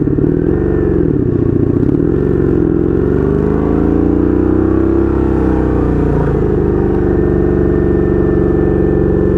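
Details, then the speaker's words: 1982 Honda Magna V45 VF750C V4 with a temporary straight pipe, first ride, idling in neutral: a loud, lumpy, wandering beat that swells and sags over a few seconds. Carburetors out of sync and needing synchronization. "She's doing good. I did adjust the back brake. Yeah, that feels a lot better. Gonna run our course here. Yeah, definitely need a carb synchronization here."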